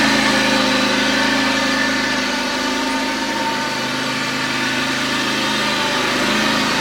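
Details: John Deere X540 mower, came in cranking with no spark and unused about a year; both coils dead, failed module replaced, now runs; steady even two-cylinder hum at constant speed, no misses or knocks; normal running.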